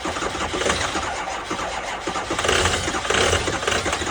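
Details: 2005 6.0 diesel, cold start at 15 degrees in New York, on two batteries and a jump pack: steady starter cranking churns on without the engine catching or picking up speed; cold no-start, cause unconfirmed.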